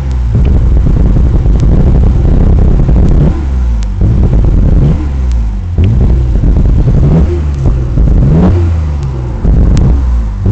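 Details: Nissan Skyline GTR being revved repeatedly: rough, lumpy engine with sharp pops and stumbles breaking up the exhaust note; misfire being diagnosed.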